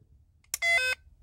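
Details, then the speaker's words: 2007-2017 Toyota Camry blower motor (integrated resistor) powered directly with a power probe: one steady high-pitched beep, no motor hum, as the probe's circuit breaker trips; blower motor is bad/shorted. "it does nothing and i just trip my circuit breaker on my power probe so i got a bad blower motor"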